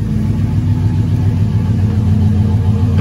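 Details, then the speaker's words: Cadillac Escalade LQ9 6.0 V8, rebuilt with dished pistons, ported 862 heads (10.5:1) and LS6 cam, first start idling lean without water pump; even lopey idle, clean quick rev, runs healthy. "data that sounds good no trouble to hear that cam it's not a big cam but it does sound good though seems to be running nice not bad at all"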